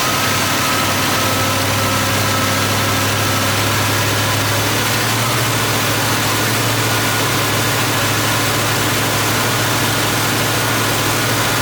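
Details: Car engine after a brand-new replacement carburetor, electric choke wired to the alternator stator, fuel bowls primed by cranking. Constant, even idle hum with a steady low drone and no stumbling or surging; smooth, healthy idle.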